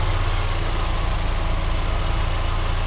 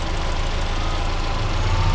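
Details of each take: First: Mazda Miata with accessories and lights on, after replacing a vacuum line/cap that likely fell off during an alternator change: steady, even low idle with no hunting or stumbling; rough idle fixed. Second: Mazda Miata at idle after an alternator change, with a vacuum cap fallen off: low, heavy, uneven lumpy idle; vacuum leak, idle returned to normal once the port was capped.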